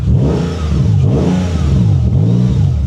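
Engine catches and revs up and down smoothly with a strong, even exhaust note and no knocks or misses; healthy running.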